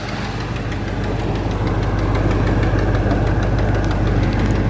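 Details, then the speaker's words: 1984 Chevrolet Silverado at idle gives an even, quick tick, about three per second, over a deep exhaust rumble; a small exhaust leak is suspected, probably the driver-side exhaust manifold gasket. "little exhaust leak you can hear ticking away probably needs an exhaust manifold gasket on the driver's side"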